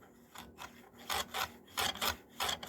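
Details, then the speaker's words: Gritomatic stone holder on a Work Sharp guide rod: rasping back-and-forth strokes with a harsher catch at the same spot on each pass; it binds where the rod has a factory bend. "see that right there there's a bend right here in this rod it wasn't straight"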